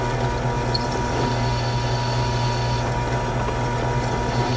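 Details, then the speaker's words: Drilling the aluminum engine casing of a Yamaha YFZ450 for an oil mod: chatter gone once cutting at the bit's full diameter past an existing hole; even, steady hum, a smooth, clean cut. "You can see the chatter went away, and that's because I'm now cutting full diameter of the drill in the aluminum casing."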